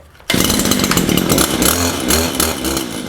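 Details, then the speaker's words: Stihl hedge trimmer (possibly HL94K) that had no power and sounded like it was running in a vacuum, after the fix, choke on: crisp, clean rasping two-stroke note rising and falling with throttle, breathing freely with no bogging; normal running. "You can tell the difference just by the sound. It sounds like it can breathe now."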